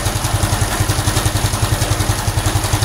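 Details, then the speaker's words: Honda Supra X 125 FI after fitting racing valve springs: steady idle with a regular low clatter tied to engine speed, around the cam chain tensioner/magneto area. Cause not yet found, though better than before; owner suspects the crankshaft or the centrifugal weights. "Saya belum menemukan permasalahannya, tapi ini jauh lebih mendingan sih daripada yang sebelumnya."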